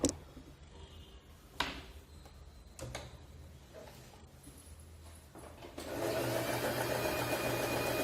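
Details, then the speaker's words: USHA sewing machine stitching after checking tension dial, needle, bobbin case and bobbin to cure loose, skipped stitches; rapid even chatter about 220 stitches a minute, no knocks or snags, now sews cleanly without bunching or looping. "ಈಗ ನಾನು ಈಗ ಹೊಲಿದಿದ್ದು ನೋಡಿ ಈ ರೀತಿ ಕ್ಲೀನಾಗಿ ಬಂದಿದೆ, ಏನು ಬಂಚಿಂಗ್ ಇಲ್ಲ, ಲೂಪಿಂಗ್ ಇಲ್ಲ, ಏನೂ ಇಲ್ಲ."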